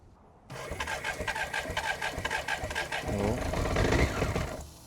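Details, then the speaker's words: BMW K100RS motorcycle sitting since 2007 (18 years), after tank cleaned and patched, new fuel pump and wiring fixes, on jump pack: steady starter churn about four beats a second, engine catches briefly with uneven firing then drops off; cranking with intermittent firing. "It's the showing signs of life. It wants to go. It wants to go. Showing signs of life."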